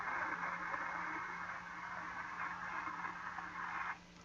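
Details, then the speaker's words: Caliber Venom CA 160V4 car amplifier after resoldering four transistors, with a speaker connected: constant rough hiss with irregular crackle and a steady low hum that stops abruptly. Output still noisy, fault not yet found. "Alors, on entend des grisillements dans l'eau-parleur. Donc, il y a encore un petit problème."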